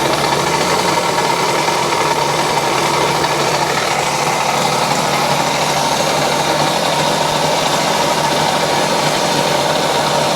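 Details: 1970 Yamaha HS1 90cc two-stroke twin, cold on choke, oil pump leaking, runs with a harsh dense rattle and knocking throughout; owner suspects worn crank bearings, not confirmed, engine to be taken apart.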